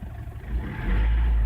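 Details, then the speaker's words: 2009 Ford Everest 2.5L common-rail diesel with low power complaint, after injector service, no fault codes: picks up cleanly when the throttle is blipped, a deep even rise with no knock or misfire; fuel pressure judged okay. "accelerator yeah engine runs okay so oh sounds okay so uh I think the pel pressure is okay"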